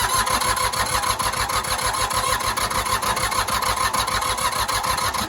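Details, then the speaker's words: Old diesel tractor run out of fuel, non-self-bleeding injectors, in neutral with brake on, cranked with one injector line cracked loose: steady fast cranking with uneven chuffs as that cylinder starts firing; air in fuel lines being bled. "we wouldn't starting at all before because these lines were full of air so just that one cylinder bleeding it's already wanting to start"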